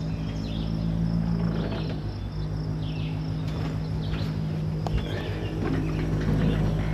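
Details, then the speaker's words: Electric boat motor after replacing a failed controller with an EZKontrol-48-1200, running about 750–1000 W DC: steady low layered hum under load, unlike the plain spinning sound before; controller settings suspected, not yet sorted. "Um the only thing is is that there's a bit of a different noise now than it used to make. It used to just spin and I I have like this hum now in there."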